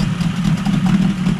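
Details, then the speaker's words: Yamaha 20A two-stroke outboard, about 50 years old (1972–78), running cold: a smooth, steady buzz with no misses. The idle sits a little high, which the owner suspects may be because the engine is cold. "that's an idle I mean it does sound like it's iding a little high"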